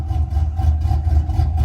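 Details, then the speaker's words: Chevy Silverado 4.8L V8 with mild cam (about 260/220 duration, .550 lift): deep, uneven lumpy idle at 750 rpm pulsing about four times a second; intentional chop tuned with idle adaptive spark swinging ±20 degrees in HP Tuners. "it sounds better that's what i call a chop"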